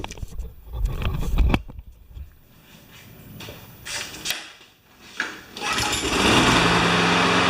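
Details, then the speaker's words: John Deere JS25 mower with engine swapped from a Toro, fired up after installation: rattling and handling, then catches and settles into a fast, even putter; runs like a champ, normal running. "she runs like a champ today my friends"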